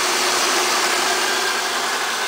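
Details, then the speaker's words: 1998 Oldsmobile LSS, 3800 Series 2 supercharged V6 with Eaton M90 supercharger and Spectre air filter: steady, smooth idle with a hiss and no clunking, after fixing a clunking harmonic balancer first mistaken for engine knock. "I fixed that up and runs good."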